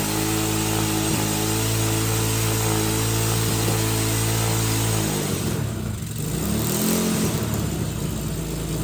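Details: 2007 Hawk 250 Chinese carbureted single-cylinder dirt bike, previously cranking without starting, on choke after starting fluid: steady fast idle thump, dips and picks back up on throttle blips; normal running.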